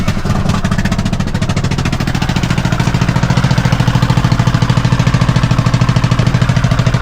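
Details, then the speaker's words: Kawasaki Mule idling in neutral on a chilly morning. Steady idle with a loose, hollow clatter on every firing pulse, about three a second. The muffler internals are suspected to have blown out, and no leak is visible. "It's almost like the guts of the muffler have blown out or something, because I don't see a problem."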